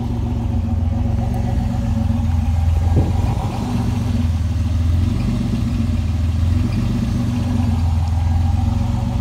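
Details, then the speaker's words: Pontiac Fiero GT, all-original factory dual exhaust with catalytic converter still fitted, idling after a quick start; deep, even burble, loud but clean, owner says it sounds like a lawnmower and is pretty loud from the factory; normal idle. "I'll start it up real quick. Kind of sounds like a lawnmower to me."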